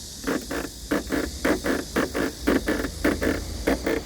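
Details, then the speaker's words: New Kia K8 at new-car inspection: pressing the top of the trunk lid gives sharp creaking rattles in short bursts about twice a second, a common K8 trunk noise. "트렁크 상단을 누르면 지금 찍으러 풀이가 나 줘"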